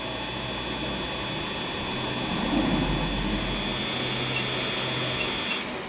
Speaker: อ่ะถ้าหวัดต่ำๆถ้าหวัดต่ำไม่ดังเนาะจะดังที่หวัดสูงๆนะครับตัวหม้อแปลงมันก็ไม่มีผลต่อการใช้งานแต่ว่ามันจะมีเสียงเวลาเรารันเนาะ